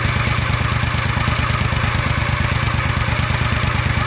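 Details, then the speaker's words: John Deere Gator 625i UTV, stock exhaust before fitting the DIY auxiliary muffler; loud, raspy exhaust pulses at a fast, even idle with sharp popping on each firing, meter reading about 95–100 dB, baseline against an ambient 63–64 dB. "So here we are, as you can tell, the Gator's running. I'm holding the phone kind of vertical so you guys can see it, for one, and letting it run here and watching these 1 minute average kind of climb. So the actual current value seems to be fluctuating between about 95, 100, sometimes drops down."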